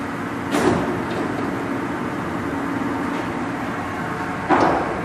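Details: Blanchard No. 18 36-inch surface grinder: even steady hum with two soft clunks as table gears are shifted, no grinding or knocking; runs healthy.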